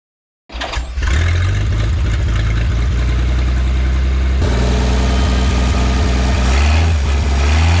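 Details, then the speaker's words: 1951 Studebaker Champion six, first start attempts: catches and settles into an uneven, lumpy, wavering idle as the throttle is pulled back; rough idle, owner suspects oil put in the cylinders has bled off. "I have a feeling that the oil I put in the cylinders has blood off so I may have to lube them up again and try to keep it like I actually was like it was it was staying running pull throttle back and"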